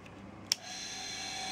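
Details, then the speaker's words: Homemade 230V 3-speed fractional-horsepower induction motor (65/95/130 W), stator and rotor from old central heating pump, self-cast aluminium housings, on lowest speed 1. Switch click then quiet steady hum, faint even whine, no rubbing or knocking; normal running. "that's on the lowest speed at the moment speed one fire up the speed you'll hear the motors changes tone slightly ever so slightly"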